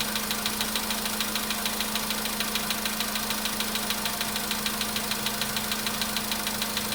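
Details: VW Polo sedan, cold start at idle: a sharp, very even ticking knock of about 200 per minute persists for minutes.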